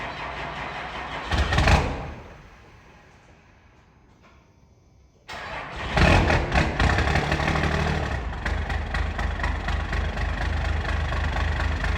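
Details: 1993 Dodge W350 first-gen 12-valve Cummins diesel started in cold Arctic weather in the shop: cranks, fires after a few seconds and settles into a steady, even diesel clatter at idle; running normally apart from a couple of oil leaks.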